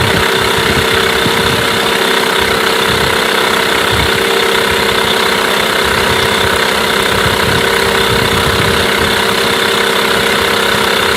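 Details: Mercury 8HP two-stroke outboard, bought used after sitting unknown time, started after a couple of pulls in a water tub after carb cleaner; loud steady buzz at constant fast idle, even pulse, no stumbling; running healthy.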